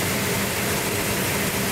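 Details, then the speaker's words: 1972 Duster 340 4-speed, first start on a cold day with the choke held and the distributor being set: a loud, rough V8 burble settling into a steady idle with no misses or knocks. Sounds healthy. "Oh, it sounds good."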